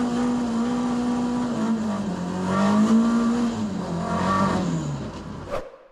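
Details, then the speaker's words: ST170-powered Mk1 Escort after fixing two swapped HT leads that had it running on two cylinders: an even engine note that pulls away smoothly with no stumble or popping; it now runs and idles sweetly. "but yeah she runs sweet now she idles sweet"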